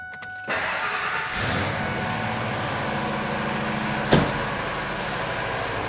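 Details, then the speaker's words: Ford Triton with aluminum heads after repairing a blown-out spark plug thread with a 14x1.25 insert, new plug and coil: short crank, fires at once into a steady even idle; popping noise gone. "now we have no more popping noise it's good for a another few more miles until the next spark plug blows out"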